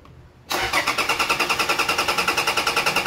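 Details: 2012 Toyota Fortuner that died on the road: starter cranks at an even three-and-a-half beats a second, engine never catches; immobilizer fault, accessory wiring tapped into ECM suspected.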